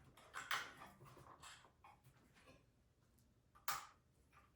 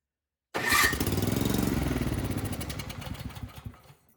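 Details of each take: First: Craftsman snowblower after new carburetor and fuel line, oil warm after about 5 minutes running: faint clicks then small engine fires and settles into even steady putter with no misses; healthy idle. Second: Craftsman snowblower that would not start, given starting fluid into the carburetor: it catches with an uneven putter of about four beats a second, then fades and dies within three seconds. Fuel/carburetor fault; the carburetor was later replaced.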